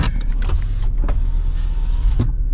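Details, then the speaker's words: 2003 Ford Explorer with 250,000 miles, after repairing broken door-ajar wire: smooth even power window motor hum over a couple of seconds without grinding or stalling; windows and locks work normally. "Let's see. Lock and unlock work. Windows work."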